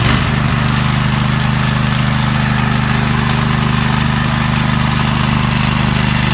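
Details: Mower single-cylinder engine first started after replacing a blown head gasket, with choke: steady, even putter with no misses or knocks; normal running.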